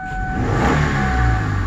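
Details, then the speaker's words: 2003 Kia Sedona after replacing a part to fix P0320 engine speed input fault, misfires in cylinders 1, 3, 5 and bad tach: smooth quick rev holding steady, no stumble, now running clean. "no misfires a car is running a freaking phenomenal so I think we fixed the issue"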